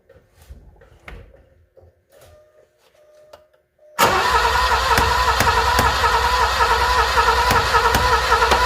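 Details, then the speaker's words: Alfa Romeo Milano (75) track project, pump wired directly for testing; steady even cranking at about three and a half pulses a second never catches; no start, fuel pump not running. "well I can't even feel this thing trying to trying to move you know what's interesting too is well I guess I don't know that much about this system most systems prime when you first turn the key on and it didn't try to do that"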